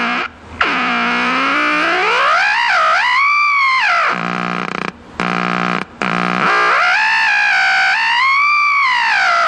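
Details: Packard Bell 35 old AM tube radio that sat outside: loud continuous theremin-like wailing whistle swooping up and down with brief dropouts. Squealing oscillation; owner suspects a previously replaced, hack-repaired 10k resistor, unconfirmed.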